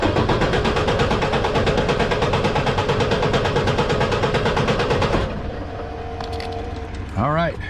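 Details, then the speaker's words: Manual-transmission engine, warm, rebuilt about a year ago with cylinder head replaced a month ago, cranked with clutch in during compression test for coolant leaking from expansion tank; even cranking about three beats a second for five seconds, every stroke same; compression good, about 92%. "apparently that's all it took sometimes they crank a lot longer sometimes they don't so compression is good we definitely don't have any issues maybe a little bit here just at 92%"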